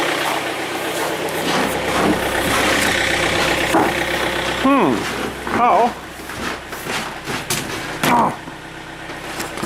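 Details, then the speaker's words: John Deere diesel tractor in extreme winter cold, block heater on for an hour and a half; catches quickly and settles into an even idle clatter with no stumbling or misses, normal healthy cold start and idle. "heater is the way to go don't let that sit there a minute or two warm-up won't do anything yet anyways"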